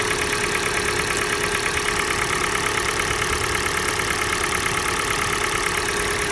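Cold petrol engine idling with a regular sharp knock, a bit over one per second, riding over the idle; source undetermined.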